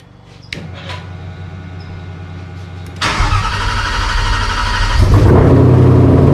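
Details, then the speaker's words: Cobra Daytona with an Aluminator V8, first ever start; brief crank, then a loud but even idle that firms up; oil pressure good, but the tach is not working, a fuel pump issue remains and one exhaust has drooped. "it's alive i got no tack oil pressure looks good it is loud"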